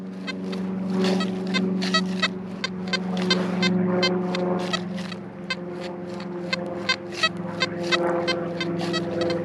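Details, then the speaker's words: XP Deus metal detector on Fast program 3, swept on a ridge of a Roman site: irregular short chirps and blips with no steady target, false signals; frequency-related cause suspected, not confirmed. "These aren't actually targets, these are false signals. See, it goes now. Very frustrating."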